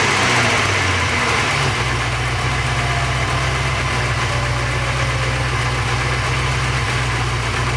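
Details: Porsche 928 V8 after oil pump pulley fix, run about 10 minutes: smooth, even idle with steady low beat and no whine on top; all sounds good. Normal idle.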